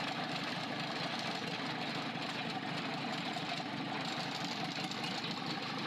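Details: Freshly overhauled 4TNE98 diesel run on a temporary stand for leak testing: steady, even idle with light regular valve clatter and no irregular knocks; normal idle, engine sounds healthy.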